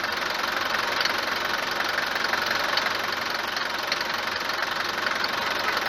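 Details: Mercedes W124 190 D four-cylinder diesel idling on a morning start: loud, hard clatter repeating about twice a second, harsher than normal. Suspected causes are a worn cylinder or piston, the injectors (already replaced) or injection pump timing; unconfirmed.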